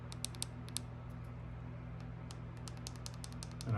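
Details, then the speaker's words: Nissan key fob after a circuit board repair and a new casing; a few sharp, light clicks as the buttons are pressed, where they didn't click before. The fob buttons are now clicking normally. "I don't know if you guys can hear that but these buttons are clicking now"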